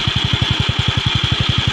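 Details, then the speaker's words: Yamaha Mio Sporty scooter at idle after replacing the flywheel bearing, which caused a metallic scraping at idle that vanished when revved. Even single-cylinder putter about eleven beats a second, no scraping: clean, smooth idle. "Tahimik na. Wala na yung kumikiskis."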